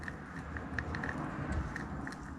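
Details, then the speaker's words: Team Corally Kagama RC car diff with Vitavon parts, turned slowly by hand after reshimming (one shim removed, ring-gear shim moved to the other side): soft, even gear purr with faint light ticks, no knocking; smooth gear mesh. "So the shim from the ring gear went to the other side, and now it runs so smooth like this."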